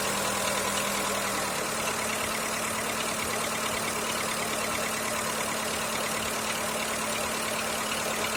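Light, sharp ticking knock about three times a second over a thin idle hum; a knock is present but its source is unknown.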